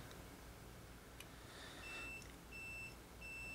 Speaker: it's telling me to turn it off because it's got that little beep beep symbol on it that says turn it off dude you're gonna kill the battery